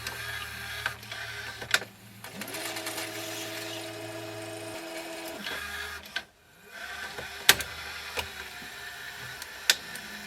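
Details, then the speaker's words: Panasonic/National NV850 VCR after a VBK46 belt kit with new idler: motor whirs up with irregular clicks and clatter, search not working properly; the new idler is not working fully, not back tension, possibly grease on the tape. "something's making a bit of noise it's not cuz of the back tension you hear that that new idle is not working 100%"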